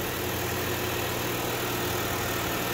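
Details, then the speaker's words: Chevrolet Sonic 1.8 engine, smooth quiet even idle with no ticking after replacing a faulty original camshaft solenoid that was passing no oil; ticking gone, previously had floating idle and camshaft codes (P0366). "Всё, со стуком мы победили."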